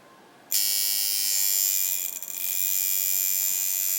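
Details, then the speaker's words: Coil tattoo machine being tuned. A sharp, high, even buzz holds steady with one brief dip; it is running smoothly at the correct setting. "go up and down there it is yep that's it okay so basically what we have here is the sound and the field of the hopefully the Fidelity on this video"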